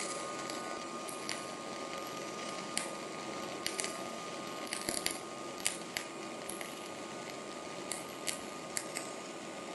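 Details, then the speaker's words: Rockmount Polaris Max Shield Pro 0.035 dual-shield flux-core wire with C25 gas on a Miller 220: a smooth, steady hiss with only scattered light pops, sounding like spray transfer. "All right, so you heard the Max Shield Pro run. Once again, it sounds more like spray."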